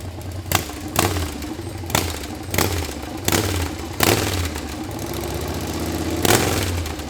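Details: Harley Sportster 1200 V-twin, swapped in after sitting outside full of water, first start without rebuild: rough idle with sharp uneven ticks about every half-second; top-end tick, likely dry valvetrain after sitting, expected to clean up.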